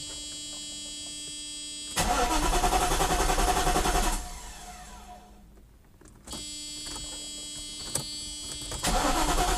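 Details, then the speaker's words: Mercedes-Benz R129 SL500 unregistered and undriven since about 2014, cranking: two bursts of even starter cranking, about three and a half turns a second, with no catch or firing; seems to have spark, owner suspects a dead fuel pump, untested. "so it doesn't really even try to like start I think it's like a dead fuel pump for sure it sounds like it's getting spark"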